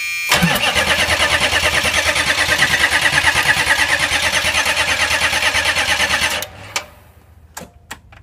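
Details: Chevrolet Express 6.5 turbo diesel with replacement injection pump, new PMD and fuel shutoff, good battery and lift pump: fast even cranking, about three beats a second for six seconds, no firing. Fuel returns from the tee fitting but none reaches the injectors.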